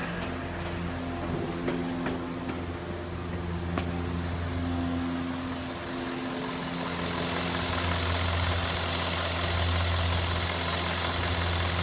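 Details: Cadillac Northstar 4.6 V8 at hot idle: steady run with light, fairly regular ticking about four per second, intermittent and only when hot; source not pinned down.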